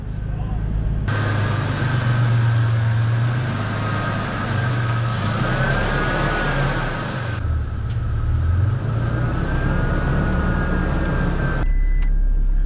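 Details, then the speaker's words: Toyota Tacoma after front end repair, test drive in low range: steady low drive rumble with faint even gear hum, no grinding or clunking; drivetrain sounds healthy. "It's not making terrible noises in low range."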